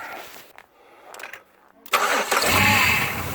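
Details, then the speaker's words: GM 3800 V6 (Grand Prix/LeSabre/Park Avenue type) idling smooth after replacing one failed coil pack that caused flashing check-engine light, rough running, power loss and shaking; cranks, catches and settles to steady even idle, no misfire. "Look at that, smooth as can be. One $24.99 coil pack, guys, that's all it was."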